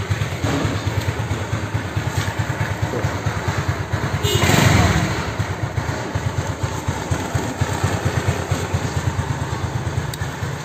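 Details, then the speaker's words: Honda Beat carburetor scooter after replacing rocker arms and pin: steady low idle putter about three beats a second, one brief swell, no knock or tick; head now quiet; normal idle. "Yang udah selalu support sekarang suara motor ini adem banget kagak percaya ini sekarang bisa adem lagi nih motor suaranya"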